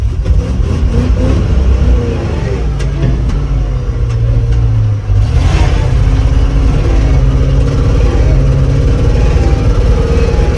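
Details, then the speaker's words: Old 3-ton grain/gravel truck held flat out at high revs, droning hard and steady with a slight stutter at the top. The engine is hitting the rev limiter. "What's that sound? Rev limiter. Rev limiter."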